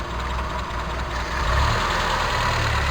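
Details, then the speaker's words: Toyota Tercel 4WD carbureted engine: slow, uneven idle sagging even lower to about 600 rpm when vacuum is released; suspect bad carb, primary cut solenoid or vacuum lines, cause unconfirmed. "then that releases it idles down even lower yeah probably plus it 600 rpm"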